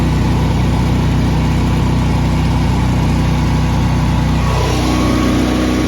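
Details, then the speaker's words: Honda EB11000 generator running on propane from 20 lb tank, governed to 240 V, 34 A water-heater load applied: steady, even drone barely changing pitch under load; normal running before it later cut out. "I want the viewers to look and see, to listen for how little change there is in the sound of this generator when you you slap a 34 uh amp load on this thing, a 240 BKW."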